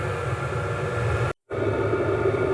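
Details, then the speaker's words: Stationary diesel heater slowed down, being set to minimum power: even low rumble and soft steady hum, no knocks or surging; burning smoothly at reduced output. "Il est ralenti. Je vais lui demander au minimum."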